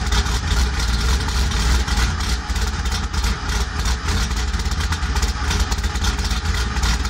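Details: Cammed 2001 Pontiac Grand Prix GT: loud, lumpy low idle with an uneven loping beat about three pulses a second; rough idle attributed to a bad O2 sensor.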